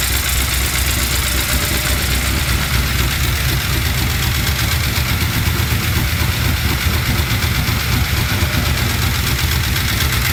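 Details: Chevy C10 with LS V8 swap, after reinstalling new lifters, head gaskets and heads: rough idle with fast uneven ticking; valve train tap persists, code reader shows timing advanced, owner suspects cam not timed correctly at install.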